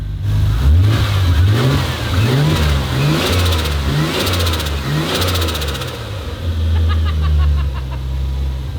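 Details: Turbo Ford Fairlane first start on a new Haltech ECU: revs rise and fall unevenly, then a wavering rough idle; ECU learning fuel map in closed loop, still struggling to hold idle.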